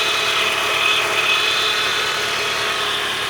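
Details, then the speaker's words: Chrysler PT Cruiser just fitted with a 60,000-mile replacement engine, first start-up idle: a steady high whine over the petrol engine from the power steering pump, which is a little low on fluid. "I hear the power steering whining. A little bit low on fluid."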